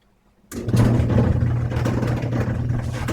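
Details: Electric clothes dryer that started making noise, before repair with a roller kit, belt and idler pulley: a low, uneven rumbling hum and irregular rattling throughout the run; the fault source is not identified.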